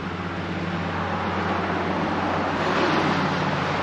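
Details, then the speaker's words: 1985 ASC McLaren coupe with a newly built engine, not run since 2002: first turnover test gives a steady, even starter churn with a smooth regular rhythm, turning freely with no binding or knocking; normal cranking, no fuel pressure yet. "all right sounds good to me it rotates and uh we got something going on now"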